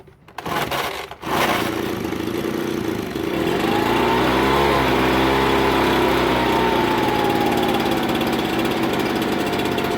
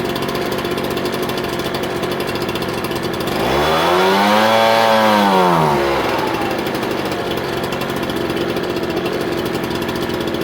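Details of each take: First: Ryobi BP42 backpack blower, hard starting: after a rough start the engine climbs then sags with no throttle change; owner suspects an air leak at the loose-bolted isolator block to cylinder or a missing gasket; fix is thread locker on its bolts. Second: Ryobi BP42 backpack blower two-stroke after hard-start fix (leaking return fuel line replaced, top isolating block loose), reassembled and primed: revs up smoothly to a high whine, holds, then drops back to steady idle without stumble; running healthy.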